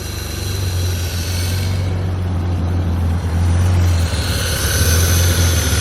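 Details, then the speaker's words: Abandoned E34 BMW 535i, sat 12 years, running on starting fluid because the fuel pump is dead: steady, even low hum with no knocks or misses as it settles after firing; very quiet, nice purr, a little smoky. "Very quiet motor, I must admit, especially after sitting for 12 years. Got a nice little purr to it."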